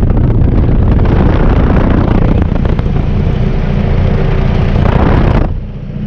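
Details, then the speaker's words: BC620 after disc bearing work: loud steady low roar with no rubbing or vibration; earlier noise came from bearing protector rubbing, now gone. "And it's already not making the noise that I noticed before. When the bearing protector was rubbing funny, it was making a, I don't want to say a high-pitched vibrating, but it was vibrating enough that I noticed it. And it's not making that noise this time."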